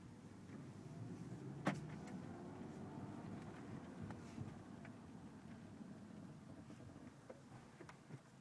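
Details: Audi A4 B8 braking: faint, irregular sharp cracking noises over a low rumble, caused by worn brake pads; new brake pads solved the issue.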